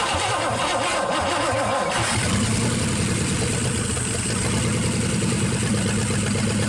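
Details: 1963 Pontiac 389 V8 first start, on jump box, line reconnected after spraying fluid: catches after a couple of seconds, settles into a steady, even run with no knocks or misses; normal.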